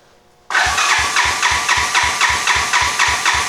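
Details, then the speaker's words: 1986 Honda Fourtrax 200SX quad after top-end rebuild and new ignition coil, restart attempt after leaning out the carb needle: starter cranks steadily about four beats a second, never fires; timing light shows no spark, CDI pulse generator suspected. "And it will not restart here. I mean, it turns over, but it's not restarting."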